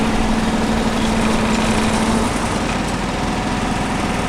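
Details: John Deere 755 compact tractor running a hydraulic leaf vac material collection system, after a soldered repair: a steady, even rumble with no stumbles or knocks at a constant speed; normal running.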